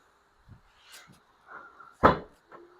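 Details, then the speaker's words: 2022 Ford Expedition after replacing the rear hatch antenna/sensor module DS7T-15K603-AA: with the fob nearby, soft clicks, a sharp latch-release thunk and a brief motor whir as the hatch opens normally. "And now it opens. Problem solved."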